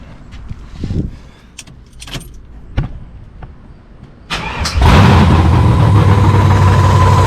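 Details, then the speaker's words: 1970 Monte Carlo V8, long-tube headers with no exhaust attached, vacuum leaks found, O2 sensor in free air so running very rich, start after belt-drive install: few clunks, short crank, then loud, even, deep run, no knocking; engine sounds healthy. "crank it, listen to it run, make sure that the engine sounds healthy, which I think it does"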